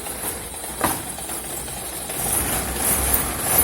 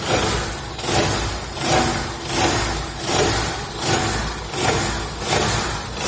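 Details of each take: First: Old car after the skid plate was bent back off the exhaust: engine idles quietly and evenly, with no rattle or buzz from underneath. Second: Old car running after hitting ground on a dirt road: buzzy underbody rattle and vibration swelling about 80 times a minute, the bent crankcase skid plate touching the exhaust.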